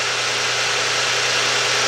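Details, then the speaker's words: Chrysler/Dodge 2.7 engine after timing cover, timing chain tensioner and oil pickup tube replacement, running cold: a smooth even idle with no front-engine ticking or rattle, rpm slightly high. "guys you hear that car compared to how it was when it first started what a deal man"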